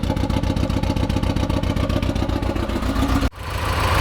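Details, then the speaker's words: 1986 Porsche 944, long-stored, just started with very dead battery: lumpy chugging idle with uneven pulses and a brief dip; owner suspects misfire, cause unknown. "It's got a pretty good misfire, it sounds like. It's chugging. At least that's what it sounds like to me."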